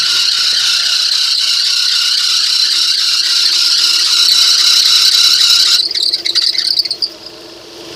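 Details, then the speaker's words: 1997 Nissan Pathfinder, at start-up: loud high-pitched squeal over idle that fades once water is poured on the belt, confirming a slipping belt rather than a pulley; belt to be replaced. "997 Nissan Pathfinder that makes a high kind of grinding pitchy noise when started I wasn't sure what the problem was because it sounded pretty bad"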